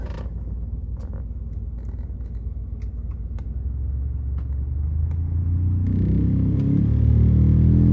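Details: 2013 Ford F-150 cabin AC blower motor, noisy after an earlier clunk was heard: a low droning rumble that swells as fan speed rises, with faint rhythmic thumping underneath; cause undetermined; recorded before the motor was removed and refitted.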